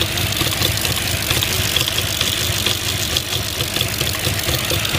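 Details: 2005 Audi A6 C6, cylinders 1–3 misfire: rough uneven idle with loose irregular puffs and stumbles, roughly two per second, no steady beat; engine misfire at idle.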